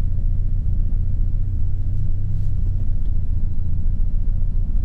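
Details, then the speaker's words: Turbo Honda on Crome Gold tuning, startup with cranking fuel trim being adjusted: idle rumbles low and uneven right after starting, wavering as if about to stall; very lean startup, fuel corrections need work. "I was pretty good but now after startup it kind of sounds like it wants to die it's very lean startup"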